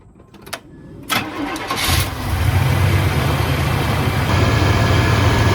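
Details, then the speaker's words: Engine start after water pump replacement: short crank, catches cleanly and settles into a steady, even idle with no knocks or squeals. Normal start and idle. "Alrighty, sounds good."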